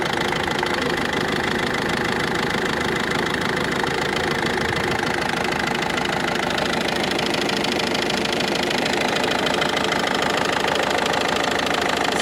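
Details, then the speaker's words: Ford Focus 2 1.6 diesel at idle: light, fairly regular ticking knock about 150 per minute, heard from below, clearer with bonnet closed, no fault codes; owner suspects a pulley or tensioner roller, unconfirmed. "Ford Focus 2 дизель 1.6 стук интересный двигателя здесь как вроде бы нормальный сверху СТ снизу вот такой вот Сток"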